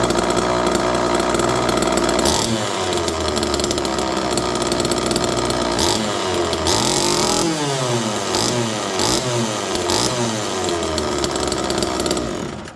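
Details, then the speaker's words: Homelite Super Mini two-stroke chainsaw in cold weather, no choke, manual decompressor used, extra fuel added: catches and revs up and down cleanly with crisp steady exhaust; runs perfectly, kill switch works. "This thing runs perfect."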